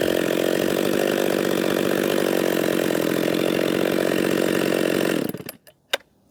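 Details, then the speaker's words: Husqvarna 262XP chainsaw, already tuned up, cutting wood: strong steady high-pitched two-stroke buzz holds through the cut then drops off; normal running under load. "that is an all right little number right there that really is it's a nice small compact chassis"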